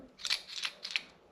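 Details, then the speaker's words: RockShox Deluxe Select rear shock: a few sharp, light metallic clicks rattle inside as it is released, from a bent bottom-out washer; a worn O-ring or spacer was first suspected. "But, you know, you can hear that rattling about in there. the we O-ring is probably worn out."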